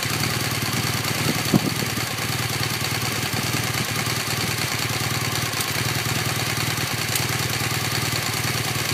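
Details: 2015 BMW R1200GS LC (K50) after about 1,500 km at a steady boxer idle. A faint, fast ticking about three per second comes from the right cylinder; the cause is not pinned down.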